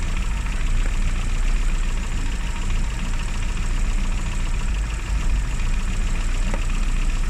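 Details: Classic Mini (Riley Elf) with points ignition, idling after a hard cold start on the year's coldest day, following about three months unused: steady, even idle, smooth low drone, no misses or knocks, running healthily.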